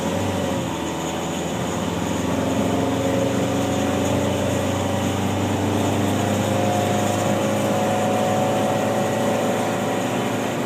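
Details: 1992 Honda Accord EX-R under load accelerating up a steep incline: rough crackly static over the engine drone from the front end; new catalytic converter and flex pipe didn't fix it, owner suspects manifold–alternator heat shield, cause unknown.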